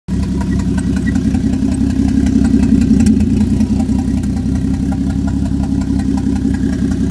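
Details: Freshly swapped Toyota 1JZ turbo engine with a loud, uneven, lumpy idle and a faint squeal on top. Owner suspects the turbo; misfire or knock is unknown. Vacuum is stuck at 18 inHg and it breaks up at 2500–3000 rpm. Rough idle with squeal.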